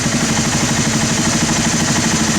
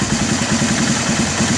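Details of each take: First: Honda TRX300 ATV single-cylinder engine after carb cleaning (sat 5 years), mixture screw tuned to the fastest idle: quick, even idle with steady firing pulses, no stumble or hunting. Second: Honda ATV TRX300 single-cylinder engine, carb cleaned after sitting 5 years, idling with an even putt about eight beats a second; idle sags as the mixture screw is turned in and it runs lean, then backed out to smooth.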